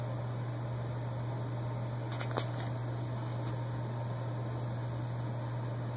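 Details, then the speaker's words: HVAC air handler restarting after the float switch is bypassed by reconnecting the cut red thermostat wire: steady, even low hum with a soft airy hiss, no rattles or surges; blower runs normally. "Just connect these two wires, and that's all we got to do. First one, and the second one, you already hear the system cut on."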